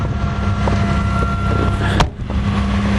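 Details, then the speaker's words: Cold start at about 35°F after sitting overnight: smooth low hum at idle with barely any piston slap or tapping under wind noise, much quieter than the Malibu; running evenly. "not even slapping at all a little bit but not like the Malibu where you can hear from inside the cab"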